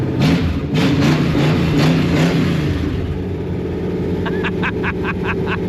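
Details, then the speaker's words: 1969 Dodge Charger, wrecked junkyard car revived; quick throttle blips rise and fall cleanly with no hesitation; the carburetor's accelerator pump and needle and seat are working, and charging and oil pressure are fine. Healthy throttle response. "The accelerator pump is working. I mean, you hear how snappy it is? It's like full-blown race car."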